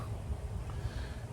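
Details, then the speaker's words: Rheem Stellar 360 hot water system with a calcified tempering valve; low, uneven rumbling and gurgling from inside the tank, heard when checking the isolation valve, a sign of sediment and a tank overdue for a major service. "a sign that the tank is overdue a major service."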